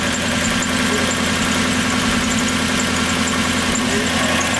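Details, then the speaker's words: 1997 Lexus SC400 (1UZ V8) barn find, one previous owner, recorded at tailpipe: uneven stumbling idle with irregular dropout about every second; misfire. "this is what happens bring them to the tailpipe so they can hear the misfire that's what happens when you get a car with one of the original owners"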